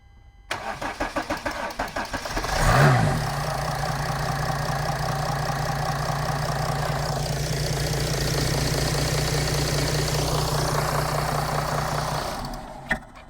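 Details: Mercedes CLS 320 CDI 3.0L V6 diesel cranks, catches and settles into a slightly uneven idle with a faint misfire stumble, before injector 1 is disconnected to compare the engine note; rough idle with misfire, cause suspected, not confirmed.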